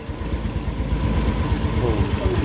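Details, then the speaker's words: Yamaha Mio S40 scooter idling after replacing drive face pulley, assembly and belt; previously very noisy CVT now normal: low even putter, no squeal or rattle. Normal idle. "Kita nyo rin, ay rinig nyo guys. Kanina, maingay na maingay yan. Ngayon oh, wala, normal na guys oh."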